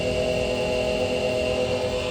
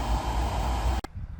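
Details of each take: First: 2015 Chevrolet Camaro SS RS convertible, cabin: a steady whirring hum with a thin whine over the cabin air noise; a noisy blower motor, a common fault, needing replacement by cutting the old one out of the HVAC housing. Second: 2015 Chevy Camaro SS RS convertible (2SS), blower running after a new cabin filter: soft, even airy rush with faint low hum, no rattle or squeal, stopping cleanly when switched off; quiet, repair a success.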